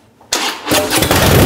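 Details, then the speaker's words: Harley-Davidson Dyna battery test with multimeter, headlight on: short quick starter spin, then the twin fires and holds a strong even beat; voltage mostly above 10 V during cranking, optimal battery. "so as you can see with the Dina it may while it was cranking quickly bumped just a little bit below 10 but during the most of the cranking was above 10 and so that's what optimal battery looks like"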